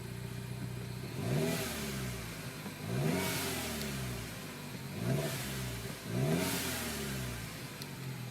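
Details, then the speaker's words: 2007 Mini Cooper S R56, JCW Stage 1, about 60,000 miles, new longer timing-chain tensioner, with a cold-start stumble (owner suspects HPFP): now four clean throttle blips building boost, no misfire or stumble; running normally. "Building boost, no problems. It runs great now."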